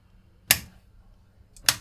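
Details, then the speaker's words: Another DAS18A 750W Class D amplifier board, switched on through a current limiter: two crisp relay clicks about a second apart with only faint low hum and no buzz or crackle; blue power light comes on, normal power-up. "same sort of thing we had the relay click switch that off"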